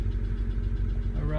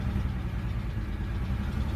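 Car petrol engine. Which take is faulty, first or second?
second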